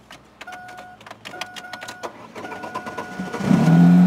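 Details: 1998 Chevrolet Cavalier sedan, restarted after a code scan: light clicking, then a short crank and it fires into a smooth, steady idle without knock or rattle.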